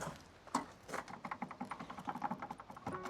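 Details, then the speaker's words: Car rocked, listening from outside: irregular light tapping and ticking in short clusters, the light rattle from something outside the car, source not yet found; separate heavy thunking suspected suspension. "Trying to fix the rattle in your car. The heavy thunking. This is the light rattle."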